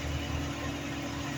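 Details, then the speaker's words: Mercury Grand Marquis after fixing an exhaust manifold/pipe rattle the customer thought was suspension; smooth, even low idle with no rattle or tapping from underneath: normal idle after repair. "ya no se oye nada ya no bueno esto era así de simple"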